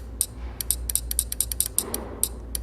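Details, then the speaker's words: AC PCB compressor relay bench-tested with a 12 V charger supply touched to its coil: crisp, clean, repeatable clicks with no chatter each time it energises; the relay switches properly. "ये output supply दे रहा हूँ चट चट करके आवाज़ आ रहा है। देखिए इस तरह से। ये रिले हमारा सही है।"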